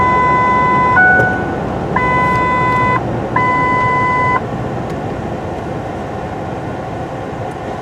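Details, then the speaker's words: 2008 Ford F-150 whose complaint is a parking brake dinger going off all the time: three bright, second-long chimes over cabin hum, sounding on top of the normal seat belt dinger. This unexplained erratic warning chime is not yet diagnosed. "yeah so it sounds like we had two chimes at once there we had our seat belt dinger and this whatever this one here is which that's the one we need to figure out"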